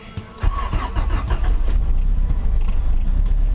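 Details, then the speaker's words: 1991 Honda Civic sedan with B20 swap, daily driver, not run for two days: short crank, then catches and settles to a steady even idle with no knocks or misses, a clean cold start. "so I'm going to start it up for you and let you hear the car nothing wrong with it my daily driver"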